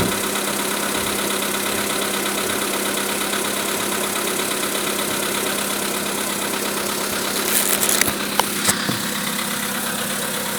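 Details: VW Polo Sedan at idle: a fast, even ticking knock over the engine note, 1000 km after piston replacement. Engine knock, possibly from the top end or piston area.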